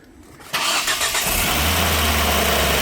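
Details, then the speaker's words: Engine around 200,000 miles, first start after retiming: quick crank catches in half a second, settles to a steady, even, quiet idle with no binding or knocking; sounds good. "oh my that sounds great I mean you know for 200,000 Mi I think it sounds good dude that's that's not bad at all"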